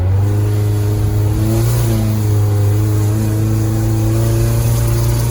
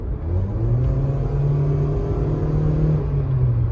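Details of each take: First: 2010 Nissan Versa at 114,000 km under hard acceleration: flat, strained drone with sputtering and chugging, mistaken for transmission slipping, an intake leak or the fuel pump. Tailpipe flow was very low and the exhaust very hot. Cause was clogged catalytic converters. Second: 2010 Nissan Versa (114,000 km) on a test drive after its clogged catalytic converters were replaced. Smooth, even low rumble builds cleanly as it pulls away, with no flat spot or strain: a normal acceleration profile, fixed.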